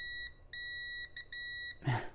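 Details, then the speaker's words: Rotel RSX-1067 receiver lacking volume control, volume encoder pin 1 continuity-tested while turning about a quarter revolution; unlike the expected even 12 steps per half turn, beeps cut in and out irregularly, contacts shorting and opening intermittently. "you can tell that it's not seeming very normal right now it's not acting at all like the trouble control was I've only turned it about a quarter of a revolution and it seems to be shorting out and going open intermittently"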